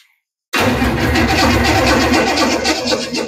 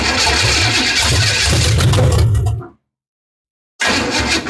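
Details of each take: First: Rat rod 327 small-block Chevy, second replacement starter fitted: after brief silence the starter turns the engine over strongly and steadily with no grinding or clicking; cranking is normal, and oil pressure reaches 50 psi while cranking. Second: 327 small-block Chevy V8 in rat rod after engine swap, 50 psi oil pressure: loud lumpy idle with uneven beat and occasional intake pops; misfire on a cylinder or two suspected, firing order being checked.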